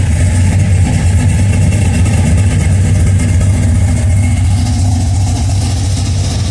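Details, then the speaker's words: Budget cammed 5.3L LS V8 at first start-up idle, tune left alone until real knock sensors are fitted: deep, steady rumble with a gentle lopey chop about three beats a second. Probably mild chop because the exhaust isn't clapped out. Normal cammed idle. "don't sound as choppy cuz it's not that clapped out exhaust on most of these things"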